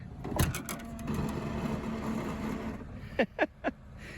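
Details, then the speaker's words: 2005 Mercedes-Benz E320 wagon tailgate soft-close, rear air suspension: short even motor hum pulls the hatch shut, then crisp latch clicks; soft-close working normally. "if you uh don't close it all the way the car will close it for you"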